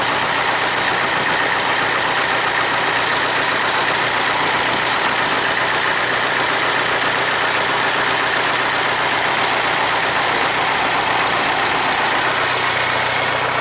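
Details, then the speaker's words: 1975 International Harvester 574 four-cylinder that stalls under load after a carb rebuild, fires instantly then held at raised throttle: ragged, uneven beat; severely lean, while ignition timing checks fine at 20° BTDC. "and that tells me it's severely lean but let's verify the ignition timing first"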